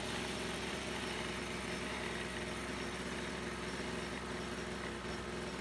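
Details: Brush cutter after repair of a fuel leak from a split fuel hose that had stopped the engine while mowing: small two-stroke running steadily with a fast even buzz, no stumbling or surging; healthy.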